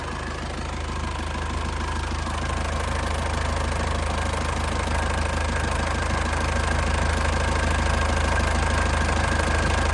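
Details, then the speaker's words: Warm 2002 Panther LS diesel idling hot with no exhaust smoke: a steady, even, soft clatter of about two beats a second, with no misses or extra knocks. A healthy normal idle. "Kondisi udah panas ya, tanpa keluar asap ya. Tanpa keluar asap, suaranya masih pulen banget ya."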